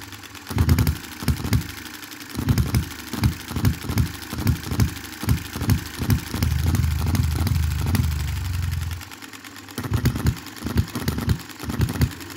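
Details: 2022 Enjomor Chinese hit-and-miss engine after valve timing correction and a spring added to the governor latch: bursts of sharp firing pops with coasting gaps in a regular hit-and-miss cycle; runs properly.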